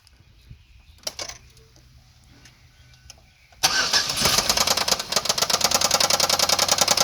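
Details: 2002 Chevrolet Equinox with 3.4 (3400) V6 starting up: after the starter it fires and a sharp, fast, regular knock about three per second rides over the idle; badly knocking, junk engine.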